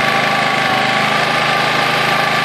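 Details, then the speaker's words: Honda EX800 generator (120V AC/12V DC, 800W max), bought cheap and tuned up: a steady, even drone with a slightly slow beat as it runs at 50 Hz instead of 60 Hz, before the governor is adjusted. Generator engine underspeed. "now this is vibrating that little white square and that's telling me it's running at 50 Hertz"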